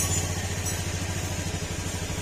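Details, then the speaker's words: Honda Beat FI scooter after an engine overhaul with new oil, kick-started: soft, even, quiet idle with no knock or rattle. It no longer sounds like a big bike, so the idle is normal. "Kung mapapansin nyo, tahimik na yung makina, hindi na siya tunog big bike."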